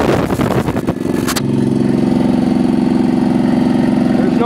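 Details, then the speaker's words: Diesel generator cold start without glow plugs, engine near 70°F in about 65°F air, after a fuel problem that seems solved: short crank, then it settles into a steady, even low drone with no misses or knocks; a normal cold start. "so if you listen here probably you can hear the pump hear the water pump down here um glow plug is down start is up i'm not even going to use the gold plugs"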